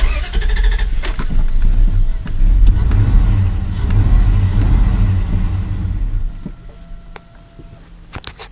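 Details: 4.7 engine restarted after warming up with oil pressure: it cranks and catches on the third try with throttle, stumbles unevenly, then dies. Hard start with stalling; cause suspected, not confirmed.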